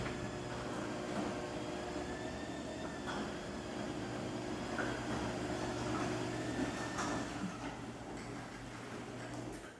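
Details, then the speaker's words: Liftmaster 8160W opener on a new 14x10 Clopay door closing: steady motor hum that sags and labours toward the end of travel; springs still tight, door balanced only from down to halfway up, cause unconfirmed. Opener straining on close. "i don't entirely like the way that it's not it sounds like it's not really doing as well as it should going down"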